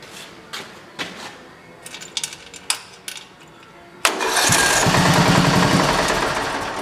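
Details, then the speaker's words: Racing lawn mower single-cylinder engine on a test fire after reassembly, checking the compression release: a few clicks and taps, then it catches at once and settles into an even fast run. A clean start, though the idle needs raising slightly. "right now knock on wood I have it running right now perfectly like a bump that key over and it should fire it up"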